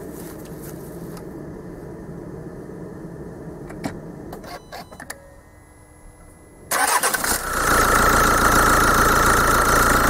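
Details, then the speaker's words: 2.0 diesel with a Bosch CP pump, started with the fuel metering valve unplugged and an open-circuit fault stored; it fires and climbs quickly to a steady, even idle without hunting or knocking. "i mimo że on posiada błąd zapisany jako przerwa w obwodzie zaraz na nim zapalimy silnik"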